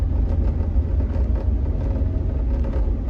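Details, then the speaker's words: Jeep Wrangler driving after serpentine belt replacement: low road rumble with sharp irregular rattling taps from the dash vent area; rattle not fixed, owner suspects the back of a removed piece rattling against the firewall. "oh no I definitely did not fix that rattle oh that's horrible so um off the top of my head I think it could be the back of that piece that I took off rattling against the firewall"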